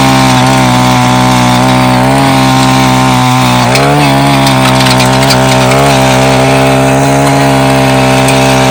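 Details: Mantis Mini Tiller two-stroke with new carburetor and fuel line, after carb adjustment, tilling yard soil with some rocks: high steady buzz sags briefly as tines bite, then recovers cleanly; pulls well under load.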